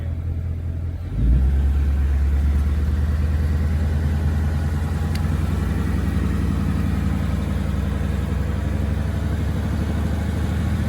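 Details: 2018+ Mustang GT V8 after fixing engine tick: fires at about one second, settles into smooth, even, deep idle, no ticking; valvetrain healthy.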